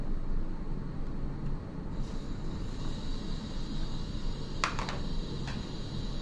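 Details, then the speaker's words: iOptron GEM28 mount slewing in declination after adjusting the worm-gear drive belt: quiet, steady motor whir, a couple of light clicks, and the earlier knocking is gone. "so as you can see just that minor adjustment to the belt took care of that knocking noise and now when I'm out you know with everything set up with the telescope guide scope camera um you know all those things finder scope installed I'm not hearing any knocking noises"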